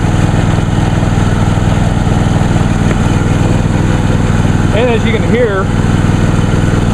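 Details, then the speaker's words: New John Deere D130 lawn tractor, last run the previous Sunday, just started on choke; a steady, even low putter with a smooth firing beat and no misses or knocks, running cleanly and healthy. "it sounds just like my grandfather's older uh MTD hoson tractor which has practically the same engine"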